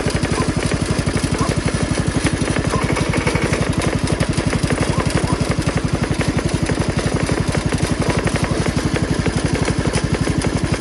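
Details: Jacobsen Chief 1200 garden tractor with Kohler single-cylinder engine, cold start, parked in forward gear, running to drain the carburetor bowl: steady, even putter at about three beats per second, no misses or knocks; normal healthy idle.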